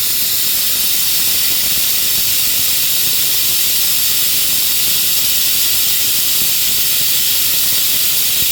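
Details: Shop compressed-air hose leaking while working on a Honda mower: constant unchanging sharp hiss, no rhythm or engine underneath. Air hose leak hiss.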